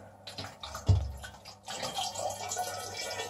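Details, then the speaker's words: K40 laser cutter setup: the submersed coolant pump runs, and with one hose lifted out, water can be heard pouring steadily back into the bucket, showing normal coolant return flow. "that's just a bit of a safety precaution and as you can hear it's already running if I put one of the houses out that's where the water returned"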